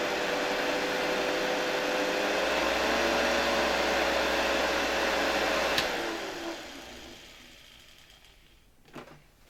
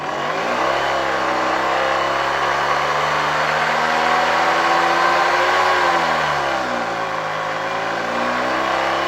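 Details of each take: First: Hoover 1346A (1972) vacuum cleaner motor, cleaned, bench-run unmounted at reduced voltage for safety: a steady, smooth mid-pitched whir that winds down cleanly at switch-off. The motor is healthy. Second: 1972 Hoover 1346A vacuum cleaner, restored and reassembled, run at reduced voltage through a voltage regulator. Loud, steady motor hum whose pitch wavers as the voltage changes. Much louder in the housing than when the motor ran on its own; owner blames the assembled parts together despite tight mounting.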